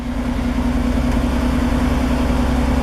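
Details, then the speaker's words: 1973 Toyota Land Cruiser FJ40 after cold start with manual choke: sputtering idle smooths to a steady, even low rumble as the choke is slowly pushed in until idle just begins to drop. "once it fires up you slowly want to push this in until it Smooths out"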